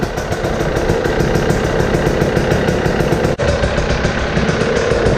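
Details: Husqvarna TE 300 TPI two-stroke dirt bike, started with the cold-start on after replacing the fuel pump filter with an OEM part at the end of winter maintenance. Fast, even burble, steady with no misses, rattles or surging: normal idle.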